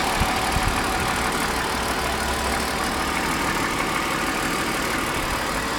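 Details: 1999 BMW E39 528i, M52B28TU engine, cold start idle: a fast, uneven light tapping over the engine hum, which the owner believes comes from around the intake manifold; cause not confirmed.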